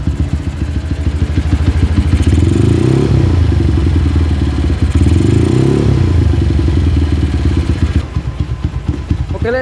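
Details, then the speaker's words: Honda GL motorcycle, single-cylinder: single throttle blips rise, then revs sag back slowly over a couple of seconds with some light clatter. Idle is unstable, hunting up and down when hot, and the carburettor is not yet adjusted. Cause suspected, not confirmed. "dia itu habisnya habisnya gas itu lambat banget ya kita perhatikan"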